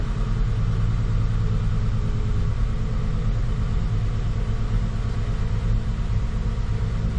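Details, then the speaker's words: 2014 Ford F-150 V8 with original Motorcraft coils reinstalled, needed throttle to crank: deep, uneven idle pulse that never settles, foot off gas; rough idle misfire persists. "it's idling now my foot's off the gas and it's still idling at the moment but it's definitely got the MF still I can feel it"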